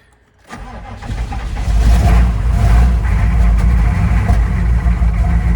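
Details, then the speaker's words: 1995 GMC 3500 HD 6.5L turbo diesel just started after injection pump replacement: low, uneven idle with a lumpy beat about four per second, running rough while the remaining air purges from the fuel system. "said it'll run rough for just a minute while it gets the rest of that air out of the system"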